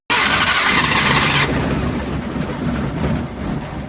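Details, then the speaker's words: Suzuki F6A pickup before repair, misfiring, stalling, no idle, leaking front crank oil seal and smoking; engine catches with a loud rush, then runs ragged and uneven with stumbling beats; misfire and stalling. "sir ang ilahang Suzuki F6 pickup type ang problema an palyado magpatay-patay walay menor napoy leaking sa front oil cell"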